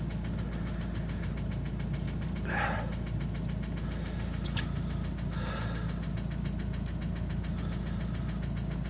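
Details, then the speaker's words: Opel Astra H Z17DTH diesel with Bosch fuel system, after an overhaul and injector replacement elsewhere, idling with a steady metallic knock traced by cylinder cutout to cylinder one; internal engine damage, engine to be replaced. "Я думаю чутно що стучить у нас двигун"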